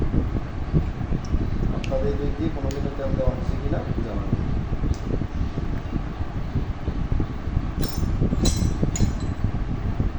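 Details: Old rusted sewing machine: runs at a steady, fast, low, even patter with no squeak or harsh rattle; an earlier noise stopped once it was oiled.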